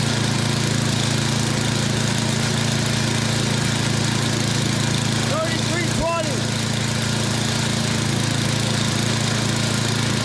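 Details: Yard Machines 24-inch snowblower with Tecumseh 8 hp engine, previously hard starting, primed and running: steady, even drone at constant pitch with no surging or misfiring; normal running.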